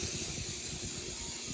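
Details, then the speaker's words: Hypertherm Powermax30 plasma cutter water separator: steady, sharp continuous hiss as air still leaks after failed epoxy fix; owner suspects pinhole crack in the bowl near the brass fitting, bowl replacement planned. "so my epoxy fix did not work um I don't know if you can hear it or not but it is is still leaking there"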